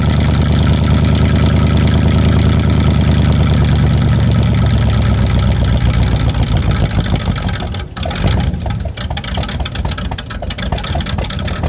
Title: 1981 Ford F250 Ranger 5.8L V8 (351M) startup. Ran bad due to vacuum leak and only fuel in carb bowl.